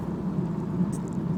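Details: BMW E46 while driving: steady low drone under road rumble, a driveline hum; propeller (long) shaft problem suspected.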